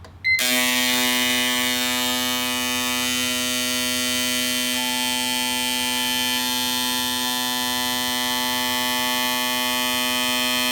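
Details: Brand-new set of four fuel injectors, flow-tested for comparison on an Autool CT200 bench cleaner for an E85 race car. Steady high-pitched rapid buzzing, even and unbroken. Flows were closely matched (92, 90, 91, 88); normal injectors.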